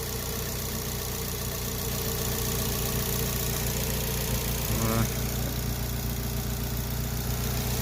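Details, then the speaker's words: TM-square turbo Suzuki Swift ZC31S, running again after three months of work, low on fuel, heard at idle: faint whirring hum instead of the crisp tick the owner expects; cause unclear, owner also worried about smoke. "i don't like hearing that so are they i like to hear it like a nice tick like that"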